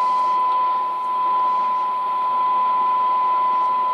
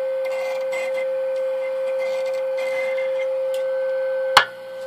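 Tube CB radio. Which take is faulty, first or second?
second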